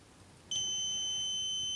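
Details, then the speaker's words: DM40C 3-in-1 multimeter continuity test on a 10 ohm resistor: quiet, then a sudden steady high-pitched beep holding without break; normal continuity beep. "First, the continuity test. It's very quick."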